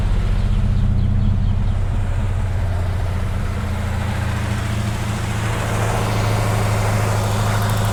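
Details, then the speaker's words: SN95 Mustang V8 at idle, number 1 cylinder running cold, good spark on its wire: uneven, lumpy beat with a stumble every few firings; owner suspects a bad plug, else a fueling issue; misfire at idle. "Okay, since we've got good spark, may have a bad plug. I'm gonna go ahead and pull all the plugs out of this car and put new plugs in it and see if that doesn't fix it."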